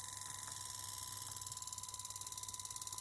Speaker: un zumbido !!! ciclo de trabajo 15% luego probé la frecuencia, intenté bajar el sonido, el zumbido que se produce es este módulo